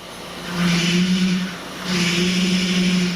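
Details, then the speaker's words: Bus, recorded from inside after starting: a low moan swells and fades twice under the engine note as load comes on; bad power steering pump, not air in the system if bleeding doesn't cure it. "okay guys this is a bad pump now the same noise could be uh caused by okay I've never heard a boss that does that by air in the system"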